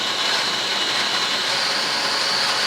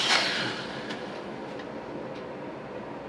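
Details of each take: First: Litehawk Quattro RC quadcopter after resetting two high pinions and oiling pinion-gear mesh with 30-weight non-detergent oil, at three-quarter to full throttle: high steady gear whine with no grinding or chatter; gears mesh cleanly. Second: Litehawk Quattro RC quadcopter at low throttle after readjusting two pinion heights that were set high: hum with a thin steady gear whine coming and going; noise about 95% cured, still needs break-in.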